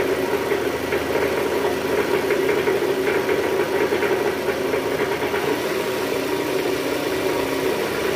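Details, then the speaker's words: Toyota Estima 2AZ-FE engine at first start, AC on, in R or D: rough, heavy idle with dense clatter and uneven vibration from the oil pan area; diagnosed as worn balancer shaft. "Nah, untuk kali ini kita mau mengatasi gejala trouble, yaitu suara mesin kasar pada saat awal mesin hidup, guys."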